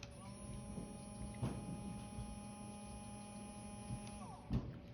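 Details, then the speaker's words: Small smoke-unit fan motor from an MTH Premier N&W Class A model locomotive, run on the bench before oiling its brass bearing: steady high whine with faint buzz, running rather loudly; motor, not fan blades, is the noise source, possibly a dry bearing. "So it's running rather loudly."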